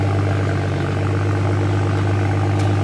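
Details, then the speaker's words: BMW N55 petrol engine idling with a smooth, steady low hum after exhaust clamps were repositioned and bolted back on; exhaust rattle gone, normal quiet idle. "the moment of truth yes sir no rattle back to quiet here"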